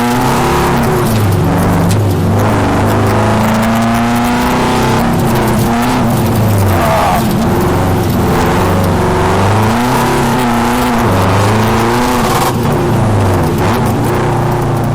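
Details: Subaru WRX drift car with new 750cc ASNU injectors, TGV deletes and fresh remap, revving hard mid-slide on a wet track with fuel at 3/4: power drops out and surges back unevenly; intermittent fuel cut, owner suspects fuel surge needing a surge tank.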